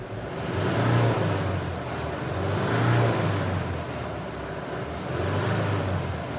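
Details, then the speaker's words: Mahindra Bolero Camper 4x4 pickup after EGR repair and clearing fault P01940C, no DTC: engine revs up and down smoothly with no hesitation or rattle, no longer shaking or cutting out as before; normal revving. "और engine को देखिए, यह भी पूरी तरह से सुचारू हो गया है। पहले यह इस तरह गायब हो जाता था , इस तरह कांपने लगता था। इसलिए इसमें ऐसी कोई समस्या नहीं है"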